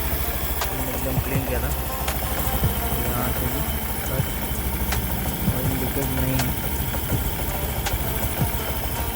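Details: Honda Activa 6G (BS6), 24,000 km, restarted after work including a new air filter: steady idle with an even low putter and light valve ticking, no knock or rattle; healthy engine.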